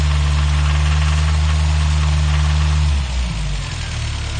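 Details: Toyota 22RE petrol engine at idle with a deep rumble and a steady clacking knock, roughly three or four a second; owner doubts it is loud valves.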